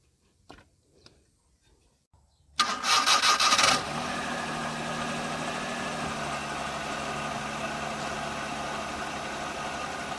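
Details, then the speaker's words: Maruti 800 petrol, previously random misfire across cylinders when warm after 30–40 km: after changing the three spark plugs, quick crank, clean catch and steady even idle with no stumble or vibration. "यह तीनों photo change करने के बाद और Stuart broad के अच्छे से click करने के बाद हमारे डुबो साउंड है वह भी सही हो चुकी है"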